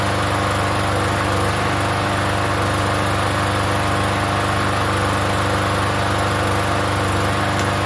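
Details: Free Yard Machines 21-inch self-propelled mower, primer-style engine about 10 years old, unused for over a year, first start: steady even running at constant speed, no misses or surging; runs normally.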